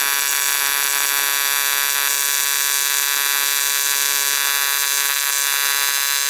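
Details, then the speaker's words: ARCCAPTAIN 200P AC/DC TIG in AC on dirty metal after raising frequency and adjusting balance, amperage turned up: harsh high buzz with uneven crackling surges, arc sporadic and wandering; erratic AC TIG arc. "Let's go up in the amperage. It feels like that amp's a little, the arc is a little sporadic."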